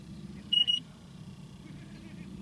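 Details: Trane package air conditioner, evaporator coil leak search at static pressure, service port with plastic caps: the leak detector gives a short burst of sharp high beeps over quiet outdoor hum, alarming at a leaking valve core.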